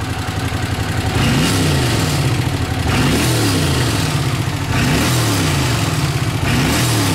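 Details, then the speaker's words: Honda CX500 twin, 30,000 miles, warmed up on fresh gas, throttle blipped several times: pulls cleanly up and back down with no stumble or cutting out, unlike before; normal revving. "so yeah it's running a lot better not doing that cutting out thing or anything big difference"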